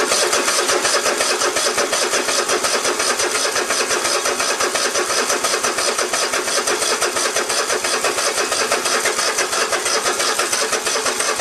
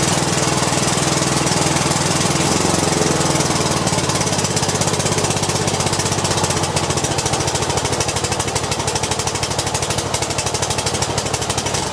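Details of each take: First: Cub Cadet i1050 zero turn left outside for years, cranking on an auxiliary tank: steady fast starter churn, about three beats a second, never fires. Fuel reaches the pump, and a clogged carburetor was suspected. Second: Cub Cadet i1050 zero turn with new push rods and fresh ethanol-treated gas: the small engine chugs steadily with a rapid putter. Owner says it sounds a little rough and blames old bad gas left in the tank.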